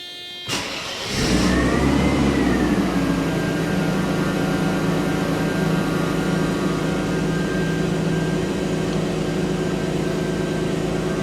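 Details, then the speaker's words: Mercedes 300E, first start after replacing the cracked original upper engine wiring harness: starter cranks briefly, engine catches and flares, then settles into a smooth, even idle with no knocks or misses; seems all right, normal idle. "Seems to be all right."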